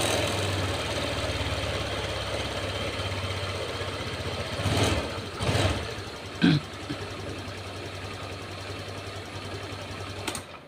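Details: Honda Vario 150 with a broken O2 sensor wire (MIL stuck on, error code 21, stumbling), after clearing codes: single-cylinder scooter settles into a steady, even idle with no stutter or misfire.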